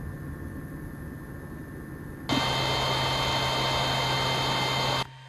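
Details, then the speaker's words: YG300 mini LED projector switched on beside an idling PS4: steady loud rushing whoosh with a thin whine that drowns out the console; the projector's cooling fan is very noisy. "one thing I'd like to point out is how noisy this projector is"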